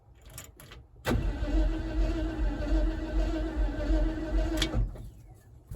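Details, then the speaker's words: 1976 Ford F-150 that sat in a swamp since 2000, coil wired up separately: steady, even cranking for about four seconds with no catch or firing; owner suspects no spark and plans to check it. "Well, it didn't even try to light off, so I should probably check for spark."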